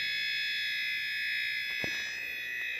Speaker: all right so let's see here we got some more switching circuitry very